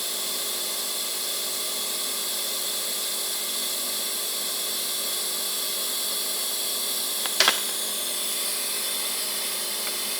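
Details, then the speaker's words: YesWelder YWT-200DC sub-$600 TIG welder on stainless steel, started at low amperage then raised for the puddle with filler wire added: steady even hiss, faint constant hum, brief crackle; stable, healthy TIG arc. "So again, we'll start it up, low amperage, we'll raise it up, get our puddle started, and then we'll start adding our filler wire."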